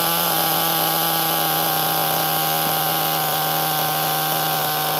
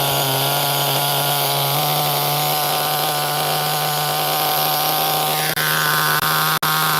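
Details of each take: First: HPI Nitro MT 18SS RC truck nitro engine, after tightening a loose glow plug and raising throttle trim idle: steady high buzzing scream holding an even pitch; running cleanly and smoothly. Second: HPI Nitro MT 18SS RC truck nitro engine: high buzzy fairly steady note that sags and briefly cuts out near the end; running rich, idle dropping low, 1.5 mm idle set screw tool unavailable to raise it.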